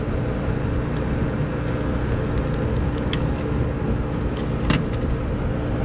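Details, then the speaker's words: Trane rooftop unit condenser fan running in test mode: even whoosh and low steady drone, no rubbing; sounds like a regular fan motor. "now if it was picking up on the video that noise but it sounds like a regular old fan motor"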